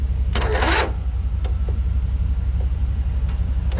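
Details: Abandoned barn-find riding lawn mower, starter spray used: slow uneven cranking thrum, about three beats a second, broken by sharp hissing pops; backfire spitting back through the intake, cause unconfirmed.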